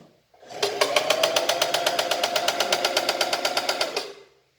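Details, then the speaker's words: Singer Facilita Pro 4423 sewing machine, about eight months old, under warranty, run without thread: harsh, loud clatter of rapid even knocks over steady hum, started suddenly; thread, needle, lubrication changed without effect; owner suspects motor. "do nada começou esse barulho é o que barulho horrível que essa máquina papo e ela não tinha esse barulho"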